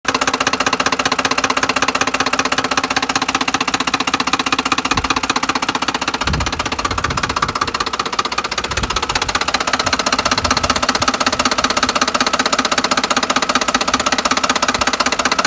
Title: Loud knocking sound 2010 ford 150 xlt 4.6 3v